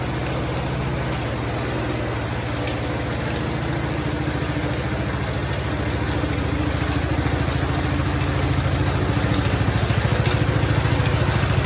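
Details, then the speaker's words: 1969 Cub Cadet 105 engine after reassembly runs steadily with even low thump; earlier knocking was the pulley hammering the crankshaft, and a deteriorating belt still hits something. "man that sounds a lot better now since that pulley's not hammering on that crankshaft"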